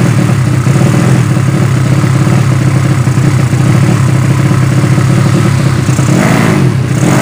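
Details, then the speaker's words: Yamaha Vega ZR with swapped Mio cylinder bored to 200cc (66 piston, standard stroke), Tiger carburetor, test-started after long storage; loud single-cylinder bark, uneven hunting beat, flat edge on the rev, carb not yet set, mixture still lean. "ya udah tinggal pekok pekok Hai masih tekor"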